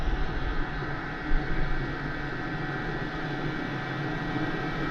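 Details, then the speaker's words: Diesel heater with a battery-backup mod, on AC charger power, just fully lit after start-up and running wide open with voltage back up to about 12.9–12.95 V. Steady even blower and burner roar, no surging, popping or stutter: normal running. "okay we are fully lit and running and you can see that the voltage has jumped back up"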